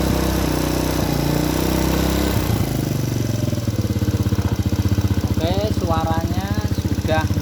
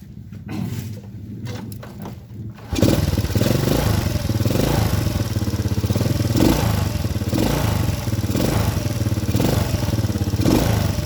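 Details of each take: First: Honda Supra Grand carburetted single after reinstalling the carburettor with an adjusted long needle and nozzle to cure black, fouling plugs: a steady, even idle with a regular beat and no misses. It is running cleanly. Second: Honda Supra Grand carbureted motorcycle that keeps fouling spark plugs black: runs with a lumpy, uneven stutter instead of a clean beat; carburetor mixture too rich and wasting fuel, needle and nozzle need adjusting.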